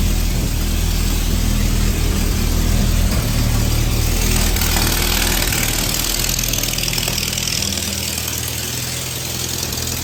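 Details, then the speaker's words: Army M38A1 truck, choked cold start in winter: rough, low petrol idle with a faint quick puffing tick; small exhaust leaks at the exhaust manifold, previous fix attempts failed. "as you can hear she does have a little bit of an exhaust leak so uh guess what folks that's going to be this spring project so we have some leaks at the exhaust manifold"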